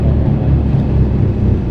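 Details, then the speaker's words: Lexus IS300 on test drive after full suspension refresh with coilovers and new arms: deep, steady droning rumble under road noise, low and continuous with slight wobble, from known bad front wheel bearings. Wheel bearing rumble. "You hear that rumble though? >> Yeah. What is that? >> I forgot the wheel bearings are bad on the front of this car."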